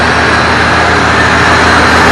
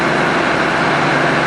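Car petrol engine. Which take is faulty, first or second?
first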